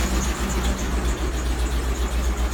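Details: 2003 Land Rover Discovery 2 rough low idle with a regular knock pulsing a few times a second; engine knocking, source unclear.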